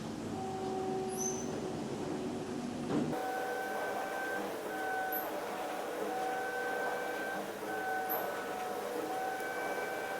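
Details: Flex CNC machining center rigid tapping a cart top fixture plate after software engineers corrected the tapping cycle: steady spindle whine with clean tones stepping up and down as each hole is tapped and reversed out, smooth and even.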